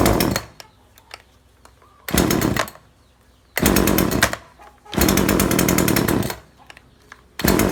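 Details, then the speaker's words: Chainsaw that stopped revving after some use and failed an earlier carb tune: revs in short blasts that sag straight back to idle, as if the fuel is too rich; over-rich carburettor mixture. "นะแต่มันมีอาการเร่งไม่ขึ้นจริงด้วยครับคนจะเร่งไม่ขึ้นมันเหมือนมันเหมือนน้ำมันหนาครับ"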